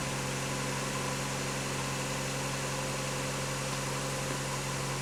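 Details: 1990 Mazda Miata under restoration, first start after replacing the hoses (intake and throttle-body area, unsure of one fitting): engine catches and settles into a steady, even idle hum with no knocks, misses or surging; normal idle, owner slightly concerned about the throttle position sensor.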